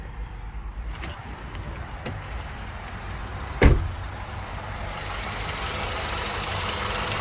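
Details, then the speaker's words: 1998 Honda Odyssey with JDM F23A swap; high idle fixed by loosening tight cruise control cable; quiet steady low idle, no hunting or surging, one brief clunk midway; idles normally. "So there we go. She idles good, no problems."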